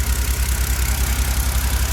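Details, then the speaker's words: BMW N52 engine after timing chain system work for a knock (worse when warm, after ~2 years parked): low even idle pulse, no knock or tapping, injectors faintly ticking; smooth quiet healthy idle after repair. "но все завели стоит обкатывается притирается насколько тихо работает грайан что даже слышно как форсунки porchat"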